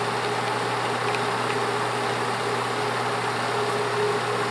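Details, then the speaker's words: Bell & Howell Autoload 8mm film projector running forward in 8mm mode at normal speed, lamp on: steady even hum with fine fast flutter, no knocks or scraping; running smoothly. "Por ejemplo, estamos ahorita en 8 milímetros normal, en velocidad normal, ok."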